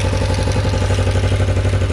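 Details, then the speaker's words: Warm idle of a bobber project motorcycle, idle set to about 1200 rpm, after carburetor work and coolant flush: steady idle with a fast, light clatter on the exhaust beat; top-end chatter, cause unknown, and a suspected leak. "Not sure if you can hear it. There's definitely some chatter up in here."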